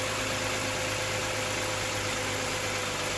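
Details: 2012 Toyota Sienna with the 2GR-FE 3.5 V6, idling just after replacing only the belt tensioner pulley. Smooth, even idle with a steady hum and no grinding or chirping from the belt drive: the pulley sounds healthy.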